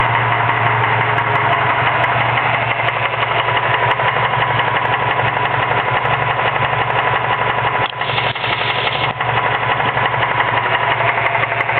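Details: Mazda 6 idling with a quick knock about three times a second from a worn serpentine-belt idler pulley bearing; replacing the belt, idler and tensioner pulleys made the knock go away.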